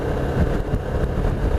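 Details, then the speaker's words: Benelli motorcycle under way: a dense low buzzing vibration beneath engine and wind noise; the owner has tried many fixes without success, Benelli says it doesn't know the cause, and the source is still unfound. "can you hear that vibration doing my bloody heading anyway I've done loads of things to this to try and stop the vibration happening"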